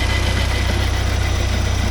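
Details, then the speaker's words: 1979 Porsche 924 idling, noise heard up front: fast even pulsing hum with faint whirring; owner suspects the alternator, not sure; alternator was later replaced. "Yeah, you can hear something here. I think it's the alternator. Not sure though."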